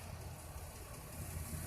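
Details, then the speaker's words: 2008 Chrysler Town & Country Touring that only clicked and wouldn't start; after cleaning the battery posts and jump starting it runs with a low, even rumble, no clicking or stumbling; normal idle. "there we go so it was just a matter of the post needing cleaning having to clean the post"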